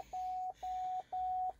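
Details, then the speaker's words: 2011 Cadillac STS salvage car at first start after unloading: steady mid-pitched shift-to-park warning chime, about two half-second beeps per second, repeating; the shifter unit is unplugged, setting a shift-to-park code. "oh now saying shift apart this a shift apart it's probably right here in this this unit right here this unit is not plugged in so that's why it's got another code shift the park"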